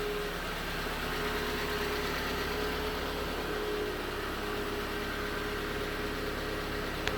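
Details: 2019 Hyundai Tucson 2.0L GDI Nu, 24,000 miles, cold idle on Mobil1 5W-20: faint, quick light knock over the engine hum; owner suspects piston slap, unconfirmed; switching to 5W-30 only slightly reduced it.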